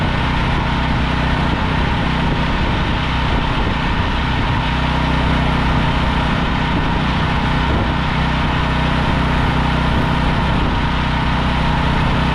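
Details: Briggs & Stratton 5,000 W generator long left sitting, after carburetor cleaning, broken pull start and low oil: steady, even drone with low throb, no misses, knocks or hunting, some smoke; running smooth.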